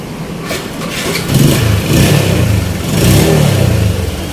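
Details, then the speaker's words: Yamaha Spark 135i single-cylinder after engine rebuild (S&A cam, R15 injector, valve work, replaced stuck piston/scored cylinder from fake oil filter): revs up and settles smoothly, quiet, no knocks; previously loud clattering, now normal running. "เสียงดีมากครับเงียบนิ่มเงียบ"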